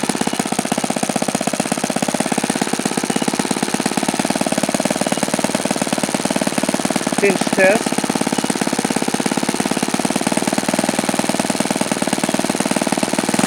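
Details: OS FS-alpha 110 model four-stroke glow engine, freshly reassembled after crankshaft bearing and connecting rod replacement, screams at steady high revs with an even buzz but never climbs higher; it falls well short of the review article's rpm figures.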